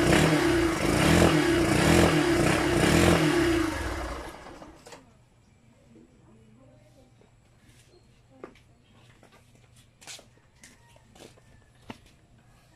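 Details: Yamaha SZR150 motorcycle, unused for a year and sputtering before storage; the carb or air vent was suspected at first. The engine pulses roughly and unevenly for about four seconds, then cuts out and dies: a misfire from a faulty ignition switch.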